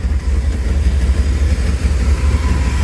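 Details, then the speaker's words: Dodge truck idling, heard especially at the tailpipe: low, uneven, lumpy, choppy idle that hunts; hesitates and drops back after revving. Owner suspects a clogged old air filter starving it for air, but removing the filter didn't help; cause unknown. "It's got some rough and choppy idle situation. Not exactly sure what's wrong."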